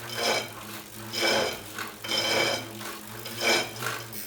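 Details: Tacx Neo 2 trainer, later returned under warranty: a very loud, rhythmic rasping scrape surging about once a second with each pedal stroke over a steady hum, something rubbing inside, cause unclear.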